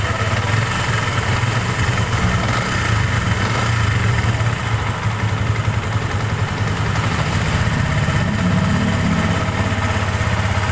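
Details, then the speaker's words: Sniper 150 (PH50 version 2) single-cylinder motorcycle at idle after repair (stretched timing chain, intake valve found worn and parts replaced): low, steady, even idle beat, no knocking or rattling; now normal and quieter. "Mas tumahik. So yan nadali na natin mga bossing. Ayan oh naman normal na RM"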